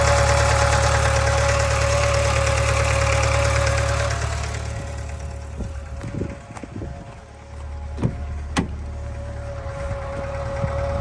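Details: 2013 Subaru 2.0 boxer engine: loud steady drone and hum, then fainter idle with irregular sharp knocks inside the engine; cause unclear.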